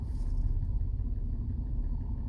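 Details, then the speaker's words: BMW E90 325xi, N52 engine, idling: low deep rumble with occasional dip and stumble; running rough with cylinder 1 and cylinder 2 misfire codes read on scan tool, vacuum leak suspected. "the car running very bad rough like cylinder number one misfire surrender number two misfire"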